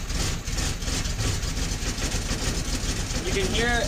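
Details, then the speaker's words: 1972 Fiat 850 Sport Spider, just fitted with a Fiat 127 alternator: a slow, lumpy idle that sags and wants to stall because idle speed, which is set through the ignition timing, is too low. "and see it wanting to die means it's too much means the engine is too much the idle's too low because you set your idle speed with your timing"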